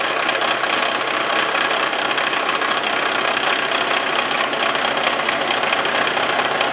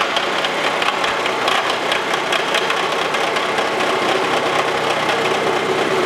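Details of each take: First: Face mill on a Wells Index vertical milling machine, cutting tool post holders for an antique wood lathe: a harsh chattering rattle as the cutter crosses a hole and each tooth strikes both edges, a harmless interrupted-cut noise. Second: Wells Index vertical mill with face mill on antique wood lathe tool post holders, back to a full cut: quieter, even chatter-free cutting hiss with regular tooth patter, no squeal. Smooth milling cut.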